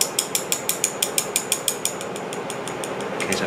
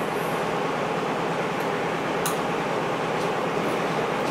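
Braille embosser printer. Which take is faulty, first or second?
first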